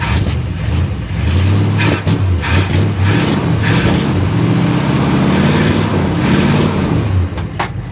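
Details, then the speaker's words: 1959 Dodge Coronet V8 started cold with the choke wide open, fuel pressure raised from 4 to 5 psi, and gasoline earlier dumped into the oil: a low, lumpy burble, slightly uneven but steady with no knocks, and no smoke. This is a normal cold idle while warming up. "nah she's not smoking or anything she's running good i'm gonna let it warm up guys"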